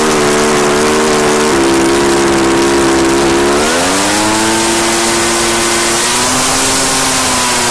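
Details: Echo PB-755ST two-stroke backpack blower, bought new two years earlier, after fresh fuel and carburetor adjustment (it had been bogging and dying under throttle/load); high, clean full-throttle scream that climbs and holds steady without bogging or surging, running normally.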